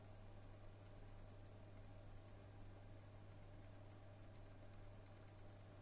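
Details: Brand-new HP OEM NVIDIA RTX 3060 Ti 8GB GPU, about a month old, idling with both fans at 30% (1098-1123 RPM): soft irregular random clicking/ticking from the right fan only over a steady fan hum; fan catching, later fixed.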